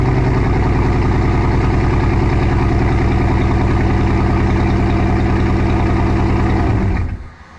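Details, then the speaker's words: Petrol engine idling rough with an uneven, loping beat, then shut off; owner reports a misfire on two cylinders, sounding like half the cylinders. "I was having a misfire issue on two cylinders"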